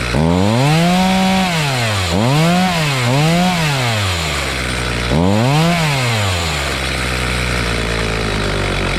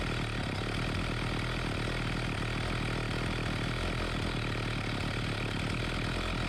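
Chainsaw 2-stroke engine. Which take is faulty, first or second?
first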